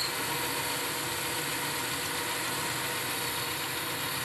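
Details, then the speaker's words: 1972 Weiler Matador SV lathe parting thick stock with a left-hand Sandvik CoroCut QD blade (2 mm inserts) held upside down: an even sizzling hiss with no chatter, a clean parting cut. "as you can hear there is no chatter it just makes a sizzling sound and there it goes"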